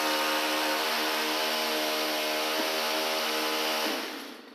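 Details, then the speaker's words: Echo/Stihl-type two-stroke weed eater started after the sputter, then set to half choke; steady high buzzing drone at about half throttle, just off idle, running cleanly on choke. "now when you crank this engine up it's going to be running at about half throttle or just off idle"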